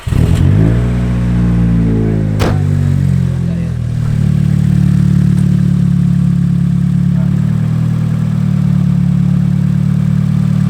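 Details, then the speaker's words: Nissan S14 after fitting a new igniter and replacing the fuel filter: cranks, catches and settles into a rough uneven stumbling idle; still misfiring despite the new igniter, cause not confirmed. "so it was strange because the new igniter did idle of it there but it was also misfiring"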